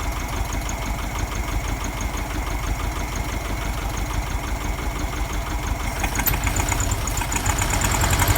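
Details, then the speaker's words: VW Beetle with a reproduction Kafer 34 PICT-3 carburetor replacing the 30/31 PICT, after cleaning: uneven, loping rough idle with irregular stumbling beats about three a second; still not running right, cause unconfirmed, owner suspects jets. "so it'll run something's still not right"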